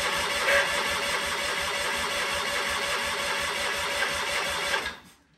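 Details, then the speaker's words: Sears Craftsman tractor with FF24 engine: steady mechanical cranking chatter for about five seconds with no firing. It is getting fuel with some smoke at the exhaust but has no spark, probably from faulty points and coil. "um and then I started realizing that maybe we're not getting spark so that's when I will continue with you now"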